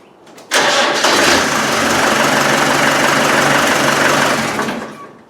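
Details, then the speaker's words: Land Rover 110 diesel, starter wire rewired after alarm removal, now starts on key: short crank, catches at once, even steady idle clatter with no misses, lots of vibrations; running fine. "we have a running car so that's good it works off the key now so i'm happy about that there's lots of vibrations"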